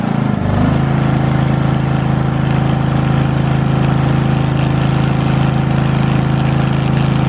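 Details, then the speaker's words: Lincoln Weldanpower 150 welder/generator bought cheap, started with fuel on and choke after new fuel line, air filter and oil change still pending: steady single-cylinder drone catches within a second and holds speed without stumbles; normal running, machine works. "Who'd have thought? But the machine works."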